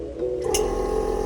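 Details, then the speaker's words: Newly wired air suspension compressor in a G35 with G37 front end, lines connected to manifold, on a fuse: steady buzzing drone with quick even pulse, running smoothly, reading four psi; normal. "hey compressor turned on four psi"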